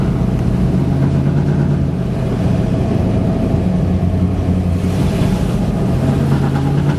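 Steady engine drone with an uneven low throb that wavers now and then, a stumbling run that points to a misfire.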